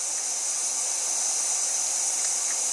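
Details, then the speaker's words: 6.0 Powerstroke high-pressure oil system under air test with the engine off, after all eight injectors were replaced and the oil rail refitted. A steady, thin hiss persists in the same area; the oil rail nipple O-rings are suspected to be leaking. "pull my foot out of my mouth because the nipple O-rings look to be possibly leaking because I can still hear it basically in the same area"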